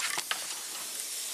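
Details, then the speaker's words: 2006 Nissan Maxima V6 six-speed manual being checked after overheating: steady high hiss with short clicks, engine off, as AC charged with refrigerant leaks fast from a smashed, bent condenser up front; pressure drops quickly, condenser needs replacing. "huge leak up front. It looks like this condenser is smashed in or something."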